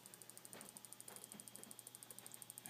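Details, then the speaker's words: Ultra IBEC CDI on an RC model, throttle channel used to switch it, no engine running, output shorted through a TVS clamp (under about eight volts per firing, no spark); faint steady ticking about ten per second from components stressed each discharge. "so you're just hearing the components uh stressing in there it the type of energy that it's discharging each time actually causes a little bit of physical stress to the um to the components but normally it's drowned out"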